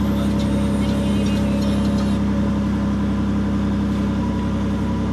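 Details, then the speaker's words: 2007 Chevy Impala (9th gen), driver-side heat door actuator just replaced, engine running, heat switched on and off: only the steady engine hum and blower, no clicking from the actuator. Quiet actuator, working. "put the heat on on the on the driver's side turn the heat off no noise baby that's what I'm talking about"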